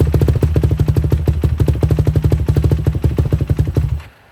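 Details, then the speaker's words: 2007 Yamaha YFZ450, carbureted, cold start after sitting a few months, accelerator pump pumped twice: steady, even thumping of big single about ten beats a second, no misses or knocks, then shut off; normal idle. "So, it started up pretty good. Just had to It's cold, carbureted. Had to hit the accelerator pump a couple times, but it started up and ran good."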